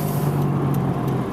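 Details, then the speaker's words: Driving through a turn loading the left side; steady low droning whir locked at one pitch under road noise, louder with speed and decreasing as soon as the car turns left: worn left wheel bearing. "and here we're going to make another turn the faster you go generally the worse that worrying noise will get as soon as i start to turn"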